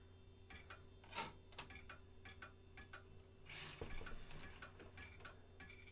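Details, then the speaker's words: Vintage 1990s Packard Bell A940-TWR desktop thrift store find, first power-up; faint irregular ticking and clicking over a low steady hum during boot; the old hard drive sounds unhealthy, and the machine doesn't post. "oh even comes with a disc oh that hard drive does not sound happy"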